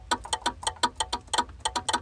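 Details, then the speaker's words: 1955 Austin-Healey 100-4 BN2 won't start: ignition on, choke on, starter pressed gives sharp starter relay chatter about five a second, no solenoid click, no cranking; battery and relay later ruled out, starter solenoid wiring suspected. "When I push the starter, though, I can hear the starter relay in here clicking."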